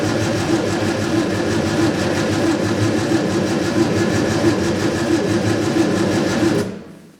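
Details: Scrapyard Fiat 600, hot-wired with no keys: even starter churning about four beats a second for six seconds, never catching; spark now confirmed, owner suspects it has not drawn fuel up yet and adds another squirt.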